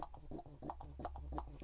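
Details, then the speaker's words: Triumph saloon mechanical petrol pump, rebuilt after disassembly, worked by its manual lever on the bench: soft, even thumps with a light hiss about three times a second as it pumps air. Normal pumping action. "the fact is you can hear that hump hump hump coming through so it's pumping now it's pumping air obviously not fuel"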